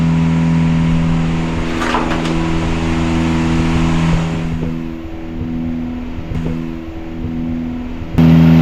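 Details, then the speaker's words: Catamaran diesel genset re-tested on the bench after two swapped controller wires, which had pulled the throttle wide open and shut it down, were put right; steady low drone, constant pitch, even firing, no knocks or hunting: normal running. "So we'll now run it on the bench here for another few runs. We've run it multiple times now, but I'm going to make sure 100% it's all good, and put it back in and make sure I get the wires around the right way this time."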